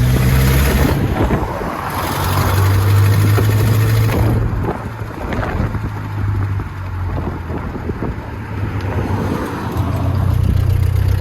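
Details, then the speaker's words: Nissan Pathfinder with 207,000 miles, heard while driving after something went bang. Deep, rough rumble with a fast puffing beat over wind noise, much louder than normal. Owner suspects a split exhaust, hopefully the back box; location unconfirmed. "I think my exhaust is broken, guys. Right guys, so when we get back, we're going to have to get underneath this thing and find out where it's split."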